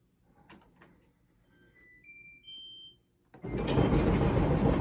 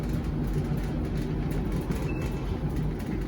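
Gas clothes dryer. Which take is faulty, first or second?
first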